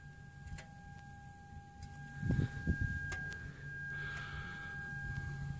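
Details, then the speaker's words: 2013 Kawasaki ZX6R with the engine off: faint steady high whine under soft irregular ticking, coming from the fuel tank; it stopped when the gas cap was opened, and the bike later started fine. Cause unconfirmed. "that that's weird what the sounds like a fuel pump is it the fan nope that's weird some weird ass it's coming from in the tank"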